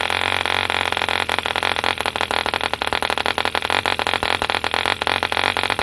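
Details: 1948 E.D. Mark II Competition Special 2cc long-stroke model diesel, first start after rebuild from two incomplete engines: fast crisp buzzing exhaust crackle at steady speed, no misses; healthy running.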